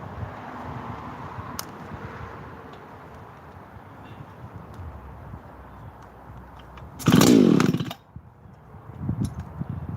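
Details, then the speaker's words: Husqvarna 288 chainsaw, run while heat cycling saws: burbles evenly at idle, then snaps up to a clean high scream and drops back smoothly; a healthy, strong-running saw. "it sounds too good though oh is it nice running saw the Masons had that one out in the woods"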